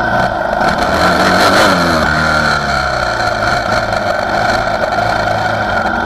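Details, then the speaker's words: 2004 Yamaha Raptor 660R single-cylinder ATV with new eBay carburetor and Dynojet jet kit; revs rise and fall with spits and pops at low throttle — fuelling suspected untuned, owner plans a mechanic dyno tune, not confirmed. "You may or may not be able to hear it throughout these next couple videos, but it still definitely has some spitter spatter in the low side of the throttle."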